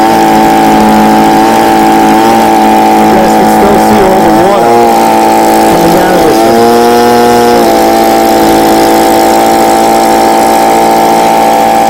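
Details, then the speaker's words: Stihl BG55 two-stroke blower on its new replacement carburetor: steady high buzz that revs up, dips briefly, then settles at an even high speed; running cleanly and blowing strongly. "all right so as you guys see it revs high and then comes back little bit down so there's no little tweaking left's are doing the carburetor to like maximize its power"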